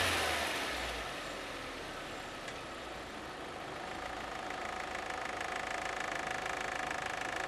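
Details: 2001.5 VW Passat 1.8T automatic, 98,500 miles, at idle: a light, quick ticking at roughly four per second in the engine note from a failing cam chain tensioner; the chain and tensioner were later replaced and it runs fine.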